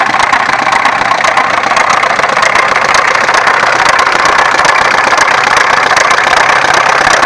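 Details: Opel X20XEV engine at idle: a loose, uneven knock runs through it at roughly two per second; a knocking fault, cause suspected but not confirmed.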